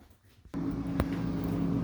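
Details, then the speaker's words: Whirlpool freezer after replacing the noisy freezer fan motor and fan (old bearings suspected worn, wobbling): after a short quiet moment the fan starts and settles into a steady, even hum with no squeal, rattle or wobble. "ladies and gentlemen fan is working it's blowing nice no noises no squeaking no wobblies it's doing what it's supposed to"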